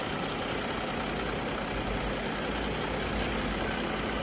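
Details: 2019 Toyota Camry 2GR-FE 3.5L at idle: uneven, shaky, stumbling beat with visible engine vibration, check engine light on with random/multiple misfire codes P0300 and cylinder 1 misfire, little power when driving; cause not yet confirmed.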